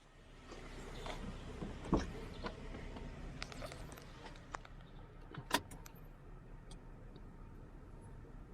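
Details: 2010 VW Golf 1.6 TDI with DSG, cold start: the diesel idles rough, an uneven lumpy rumble with scattered sharp clatters; the cause is unknown.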